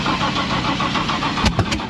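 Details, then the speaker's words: Mustang drag car V8 that shut off with a massive backfire on a test pass and would not refire. The starter spins it with a quick, even chug and a couple of pops, but it never catches; logs point to a sensor problem. "But it went pop and won't start."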